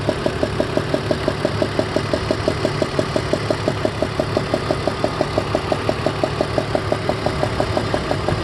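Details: 2002 BMW E46 330ci, warm idle: sharp, even ticking about three per second from a loose spark plug on cylinder #4 leaking compression; plug spun by hand, snugging it down removed the sound.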